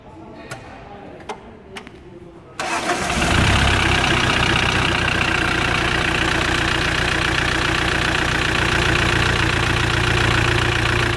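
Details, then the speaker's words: Mitsubishi L200 Sport GL diesel, a worn engine with several defects, started and idling with a hard rhythmic clatter. The knock is from worn internals, worn piston rings with heavy blow-by, and lots of oil pushes out of the engine. "bom então escutado com castanhada diferente do que motor aí o senhor desligar interno anel opção em cima é os gastos terra"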